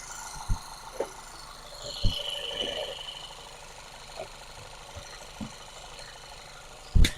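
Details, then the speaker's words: VW/Audi 2.0T engine after an oil separator replacement, started to check the vacuum leak. It gives a steady low idle with no hiss or whistle, only handling thumps; the vacuum sound is gone. The oil cap had also been leaking, with oil and vacuum leaks elsewhere too. "so all is well guys no vacuum sound this need a good Engine Wash cuz the oil cap was leaking"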